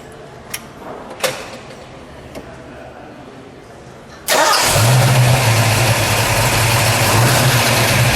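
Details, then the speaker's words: 1971 Ford Boss 351 Mustang with its factory 351 CI V8, low mileage: after a few clicks it fires at once and settles into a deep, even, steady idle with no knocks or misses; sounds healthy, normal idle. "Sounds good. That sounds real good."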